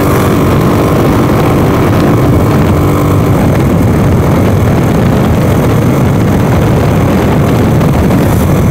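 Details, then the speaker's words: 150cc GY6 scooter, a daily driver for two weeks, accelerating at full throttle on the road with a new mic setup: strong, even engine drone under heavy wind rush, pulling cleanly; normal full-throttle running. "right this is this thing's running pretty good it's been my daily driver for the past two weeks getting me back and forth to work and such"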